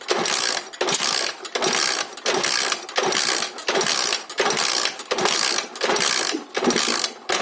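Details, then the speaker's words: Alpha Lux 110cc moped that won't start despite spark and fuel, after a new plug, choke on: slow rasping kick-over strokes with no firing, plug wet; no compression. "Іскра є, бензин поступає. Будемо дивитися до клапанів."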